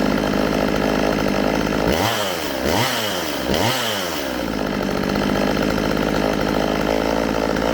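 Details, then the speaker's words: Stihl MS192TC chainsaw after repair for bogging and not revving, spark arrestor cleaned, bar and chain refitted: idles evenly, revs cleanly three times with crisp rises and drops, settles to a steady idle. "sounds good to me all right that's gonna do it for today's video this little chainsaw is back in action"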